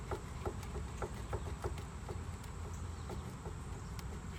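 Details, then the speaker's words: 2003 Ford Crown Victoria Sport raised on stands, rear axle turned slowly by hand: faint light ticking about three times a second; owner suspects a worn outer axle bearing, possibly normal since both sides do it. "not this this up and down I have to assume that's the bearing oh maybe that noise is normal because this side doing it - it's possible the bearing on this side is shot"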